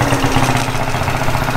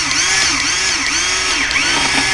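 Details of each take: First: 50cc Japanese quad after carburetor cleaning and fresh gas, started with a drill because the starter clutch failed: small single buzzing at a steady, even idle with a quick regular putter and no stalling or hunting; it runs well. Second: 50cc Japanese quad that sat for years, spark confirmed: repeated starter cranking that never catches, only the churn of the starter; stale fuel and a gummed carburetor, so the carb jets are to be cleaned.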